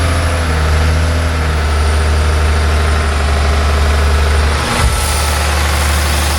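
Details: John Deere 850J dozer diesel after second rebuild, run outside: deep, steady idle with even beat, no knocking or rattles; one brief blip then settles smoothly; no leaks, all normal.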